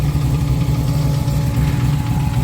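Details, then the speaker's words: Jeep Wrangler TJ with 6.0L LS2 V8, about 550 hp, Trick Flow heads, straight-piped, roughly 8,000 miles on the build, idling: steady deep idle with light uneven tapping; owner suspects piston slap. "can likely hear that tapping that is the piston piston slap"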